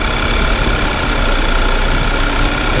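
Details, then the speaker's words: VW Tiguan idling with selector in D: dull, uneven knocking and wavering note that seems inside the engine but comes from the worn accessory belt tensioner, getting louder as if pulling away; tensioner to be replaced. "Esse barulho no motor, tá? Estamos aproximando aqui. Eu quero mostrar pra vocês ali de onde vem esse barulho, tá? O barulho que parece que é dentro do motor, mas não é."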